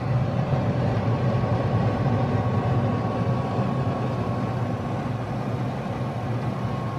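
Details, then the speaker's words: Hummer H1 AVA 97.5 replacement HVAC main unit, blower on setting 2: a smooth steady rush of air with only a faint motor hum, so the air is heard more than the motor. Normal blower operation. "So you can't actually hear the motor going. You hear more of the air passing through."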